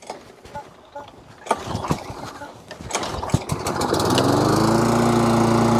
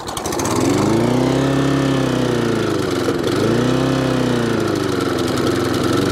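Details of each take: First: Webb mower with a Briggs & Stratton Classic engine, after a new pull cord, carburettor clean and spring work, having run jittery before: it fires and settles into a steady, even drone with a clean tone, running really well. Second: Webb mower with a Briggs & Stratton Classic engine, before repair, with a worn pull cord: the speed swings up and down every few seconds and over-revs, sounding a bit electrical or fuel-related. The surging comes from a faulty carburettor diaphragm and a tampered governor spring.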